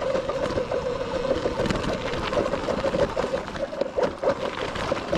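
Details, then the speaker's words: Sur-Ron electric dirt bike riding off-road: wavering mid-pitched whine broken by rapid, uneven slapping and knocking as the stock primary drive belt slips and skips teeth under load, stripped; later converted to a chain primary drive. "my belt is slipping that's what that sounds like definitely a belt slipping issue sounds like i stripped it"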